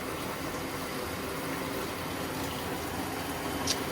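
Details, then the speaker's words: Black & Decker 3.0 portable washer, over 2 years old: the wash slows and stops, then a soft, steady rush of water fills the tub with no motor noise. It is filling normally for the next stage. "And when you hear that, that means it's getting ready to start something else, and the water will come in."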